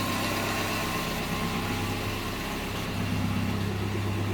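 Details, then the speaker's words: Datsun after engine bay overhaul and new spark plugs: smooth, even idle, steady low hum, firing evenly on all cylinders; previously shook violently when cold and sounded like it galloped. Normal idle. "that is a substantial Improvement before when it was running cold if I put my hand on the engine it would shake my entire body but right now it's running very evenly"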